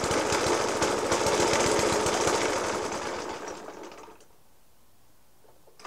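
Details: Suffolk Punch 30S mower, 1991 era, Dellorto FCH 20 carb; after new spark plug, decoke and carb clean, still heavy banging at idle: loud rapid bangs about three per second over a rough idle, then the engine dies away; cause unclear.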